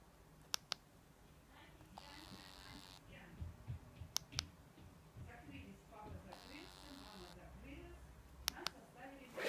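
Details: Meizu MX5 phone, new from Gearbest, with buzzing problem: short buzzy bursts of about a second around two and six seconds between soft clicks, an abnormal internal buzz.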